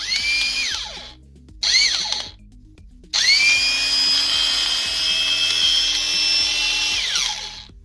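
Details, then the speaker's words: Bosch angle grinder after replacing the worn pinion gear; high, even whine winds up quickly, holds steady and winds down cleanly with no grinding or rattle; gearbox sounds healthy, though the brushes are somewhat worn. "se aude altfel acum."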